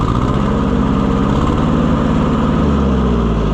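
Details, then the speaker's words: Oliver 550 tractor on service call: idle thumps unevenly and loping, beat shifting instead of steady; possibly one spark plug not firing, unconfirmed. "So it's possible that one of these plugs is bad, but I don't like that loping when you crank it, you know?"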